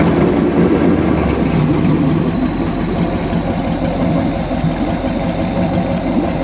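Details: ZIL-131 V8 engine converted to fuel injection, first start: low rumble settling into a fairly steady idle with a mild uneven lope.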